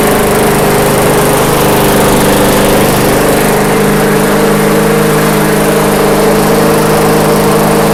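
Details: MTD/Yard Machines walk-behind mower after the governor arm was tweaked: small single-cylinder engine idling low and perfectly steady, no surging or hunting; normal settled idle.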